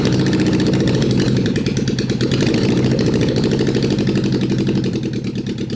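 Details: Honda CB750 SOHC four swapped into a Suzuki Quad Sport 230, first run in years after re-gapping the plug, choke on; loud uneven idle with irregular chuffing and a lumpy beat, rough running, possible misfire, spark to be rechecked.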